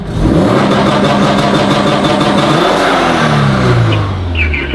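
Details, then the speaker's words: Turbo Scion FR-S with HKS single-exit exhaust, first running after years sitting, clutch pedal down and revved quickly: revs hang against a stuttering 2-step launch-control limiter with rapid crackles; working as set. "put your put your foot on the clutch she said so he said rev it quickly and it'll hit launch again"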